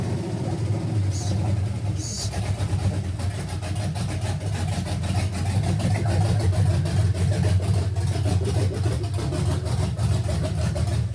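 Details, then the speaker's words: 1971 GMC C10 with fuel-injected 5.3L LS swap, first start, old gas, cam believed stock, tune not yet adjusted: low, choppy, loping idle about three beats a second, rough and loaded up; running very rich, cause unconfirmed. "Okay, while she's running, my eyes are freaking burning. It's running super rich. Sounds like it's super cammed."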